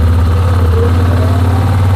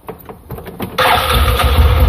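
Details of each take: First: 2007 Yamaha Rhino 660, warm, choke pulled partly on: loud, even drone well above normal idle, revs high enough to engage the clutch, so the engine had to be stopped to change gear; high idle from partly open choke. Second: 2007 Yamaha Rhino 660 single-cylinder, previously rough idle cold and high idle warm: after seating a loose, spring-loaded part finger tight, engine settles into an even, steady idle with no stumbling.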